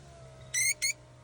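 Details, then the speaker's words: BMW M4 driver-side window, worse in cold weather, squeaking only when lowering, not raising: two short, shrill, high-pitched squeaks about a fifth of a second each; power window squeak. "okay manchmal ist es ein bisschen mehr manchmal ein bisschen weniger aber das ist echt schon schrecklich auch immer nur beim runter ja beim Hochfahren nicht"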